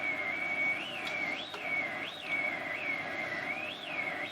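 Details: Circa 1947-48 Philips 101-CZ valve radio, volume full, valve being touched: a high whistle wavers up and down; only static had come through, caused by poor contact in a dirty valve socket.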